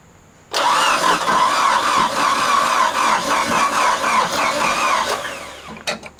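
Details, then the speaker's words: 1983 Kenworth K100 cabover, first start in years: fast, even cranking for about four seconds that never fires, turning over too freely like no compression; owner suspects the timing chain went. "isn't that weird how the guy turns on his forklift and it sounds like it doesn't have any compression and it ran good when it parked it sounds like timing chain might have went"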